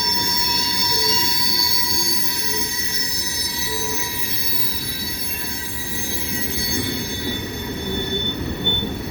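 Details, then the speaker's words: Wheel flanges of passing cars give piercing high steady squeals over the rolling rumble, on rails hot in 90°F-plus heat. Heat expansion tightens the gauge, so the flanges rub the railhead gauge face. "Well, when metal gets hot, it expands. That closes the gauge up somewhat. Anyway, that's the flanges of the car wheels rubbing against the gauge face on the railhead, causing that squeal."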